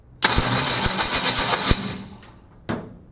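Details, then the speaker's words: 1965 Ford Mustang with new electronic ignition, engine-to-transmission plate missing: harsh metallic grind on cranking, worsening over time despite two starters and shimming; owner suspects a flywheel problem. "i've tried two starters i've tried shimming the starter people told me to shim the starter since uh since the plate between the engine and transmission is missing and uh nothing is working"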